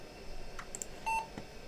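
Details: Retro 90s Pentium III PC on an ASUS P2B i440BX board, which had been having intermittent faults; one short clean beep at power-on in a quiet room, the normal single POST beep, and the system boots.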